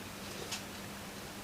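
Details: c1960 Kriesler 11-79 radiogram Monarch turntable during service: over a low steady hum, a light click then a firmer clunk as auto-stop trips normally at record center; mechanical noise elsewhere blamed on idler or motor.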